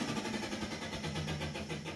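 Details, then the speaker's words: Indesit tumble dryer running: uneven scraping rattle pulsing with each drum turn over the motor hum; something suspected caught in the fan wheel. "hört sich auf jeden fall nicht gut an so darf sich ein trockner net anhören ja was ich vermute dass da irgendwas in einem lüfterrad steckt und dass er irgendwas kaputt ist"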